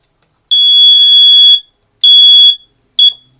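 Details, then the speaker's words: Home fire alarm going off randomly with nothing activated; three piercing high beeps, long then shorter; false alarm caused by a short in the 270-SPO pull-station switch, repaired. "holy how is that possible somehow the fire alarm went off when nothing's activated"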